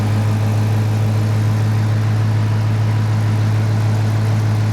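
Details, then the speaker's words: 2016 Dodge Challenger 5.7 L Hemi V8 with Shaker hood at idle; deep, steady burble with even firing and no ticks or knocks; normal healthy idle. "Yeah, this is She will get up and go now. She does sound good, too."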